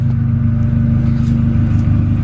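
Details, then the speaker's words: Honda Civic D16Z6 after new valve stem seals, a valve grind and a head gasket. A smooth, even idle with a steady low hum and no knocks or misses. Running smoother, with tappet adjustment still pending. "there we have it, back together again. Things seem to be running so much smoother. I'm not sure why."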